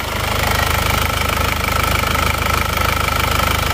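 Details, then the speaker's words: Warm diesel (a Penta from Tulungagung, road-tested about 60 km, no oil leaks) idles at a steady, even clatter of about three beats a second, no hunting; hot oil on the liner gives some smoke, normal, healthy idle. "Nah kalau oli itu keseluut panas itu tentu saja akan mengeluarkan asap"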